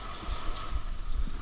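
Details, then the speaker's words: Volvo VNL760 truck idling after battery replacement (batteries had died), started in neutral: deep, steady diesel rumble with an even beat under wind buffeting, no knocks or misses; normal. "Let's put it in neutral and let's see if it starts. And there we have it. Now the truck is alive again."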